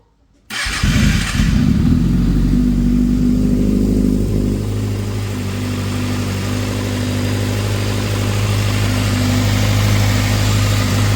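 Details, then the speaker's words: 2012 Kawasaki ZX6R inline-four after fixing cold-start timing chain rattle by loosening the two timing chain tensioner bolts until one click and retightening: starts and settles into a smooth, even idle with no top-end rattle. "And I've opened these two bolts until I had one click, then I closed them up, and now the sound is gone."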